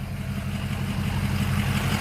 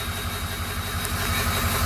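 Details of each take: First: 2005 truck compared with a misfiring flatbed: steady, even idle with a firm regular beat and no stumble or miss; it previously misfired. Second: Flatbed truck, about 213,379 on odometer, warmed up, misfire worsening: lumpy uneven idle with stumbling low thump breaking rhythm; rough idle from misfire.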